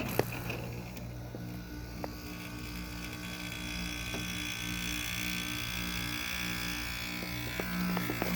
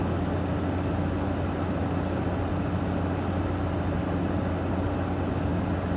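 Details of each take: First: Precision window air conditioner made in Taiwan at startup, seemingly low on charge: steady low, wretchy buzz with a hum under it and a few clicks as the compressor starts; buzzing compressor, cause unclear. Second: General Electric 5050 BTU window air conditioner with a 2016 compressor, made by Curry, running and blowing 48 degrees: steady, even low hum with constant fan rush, no rattles or cycling, surprisingly quiet; normal running.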